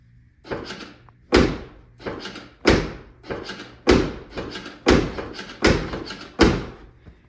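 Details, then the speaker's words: C6 Corvette driver-side door release switch after its corroded contacts were cleaned: firm latch clunks about every second, each unlocking cleanly on the first press. The door release now works normally. "now I put it in here just to test it and you can hear every time I click it it uh makes a noise to unlock it so we should be good now"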